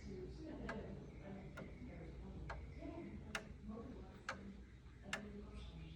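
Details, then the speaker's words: Roughly 500-year-old clock that hadn't run in years, after cleaning and oiling, set ticking: slow ticks a bit under a second apart with uneven spacing and loudness. The out-of-step beat comes from a broken, short escape wheel tooth, later confirmed. "and that was a slightly odd tick I may have a broken tooth on that wheel we shall see suffice to say I was unfortunately right"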